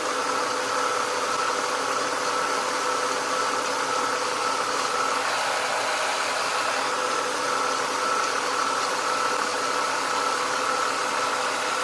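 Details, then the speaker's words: 1996 Ford Mustang after replacing the AC compressor that had a bad pulley, AC on defrost: steady even hum with a light whirr as the compressor kicks in, no grinding or rattle; normal AC compressor running. "it's a good compression it sounds really good bearings in it running really well"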